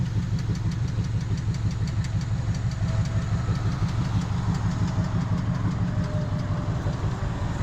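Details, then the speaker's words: Abandoned 1979 Camaro V8 on a 2200-mile trip, burning oil: lumpy idle with an uneven stumbling beat, like it's missing, and a light regular tap about three per second; owner suspects a valve, not confirmed. "a little bit like it's missing and that tap is back. But again, the engine's vibrating."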